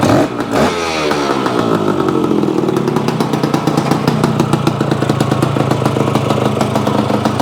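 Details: Yamaha AT-1 converted to CT-1, first start-up after rewiring, oil pump priming and carburetor fix (suspected sticky float or debris under needle), choke on, pre-mix fuel; brief catch then crisp, even ring-ding two-stroke idle, steady firing, normal and healthy.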